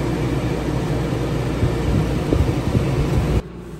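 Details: Class B RV's new rooftop Houghton Bel Air 2800 air conditioner, replacing a very loud original unit: steady low, smooth fan and compressor hum with no rattle or knock, running normally and quieter.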